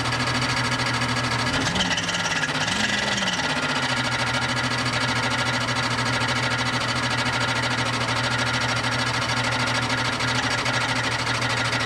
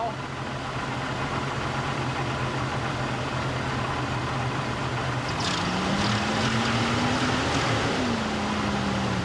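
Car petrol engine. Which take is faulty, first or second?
first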